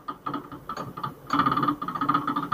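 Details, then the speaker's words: Removed original front right shock absorber from a 2020 Ford Ka 1.0 sedan: irregular sharp clunks and ticks as the rod is stroked by hand; seal burst, oil leaked out, rod guide worn; fixed by replacing the shock. "estourou estourou retentor foi vazando todo o óleo e aí acabou acabou amortecedor mas eu dou já era ó Que barulho"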